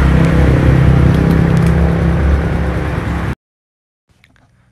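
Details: Yamaha MX King 150cc after engine repair for rough noise, radiator refilled: even, steady idle with a smooth low hum, no knocks or rattles, before shutoff; now quiet and healthy.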